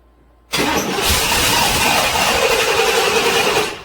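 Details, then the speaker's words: 1997 GM truck (Chevy Silverado) 5.7 Vortec 350 V8, towed in for cold no-start (starts when block heaters plugged in); steady three-second crank but never catches, return line pinched off, pump can't build pressure; failed fuel pump. "no that needs a fuel pump so i've got the return line pinched off completely and the pump can't produce enough pressure to supply the the engine to run"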